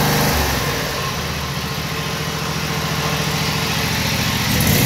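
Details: Briggs & Stratton Vanguard 16 hp twin at high rpm: the engine note sags and climbs back over a few seconds instead of holding steady. Engine surging at high speed.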